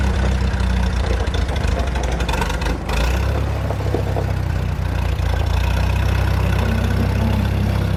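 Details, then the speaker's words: 1947 Chrysler straight engine revived after sitting, clutch possibly seized: catches and settles into a steady, low, even idle with no knocks or misses, running well. "It should uh just start at idle pretty good."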